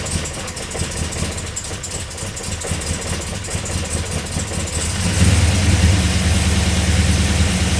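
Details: Chevrolet Silverado with new replacement crate V8, first start with battery reconnected and laptop tuning ready: several seconds of cranking, then fires cleanly and settles into a steady, even V8 idle with no knocks or misses.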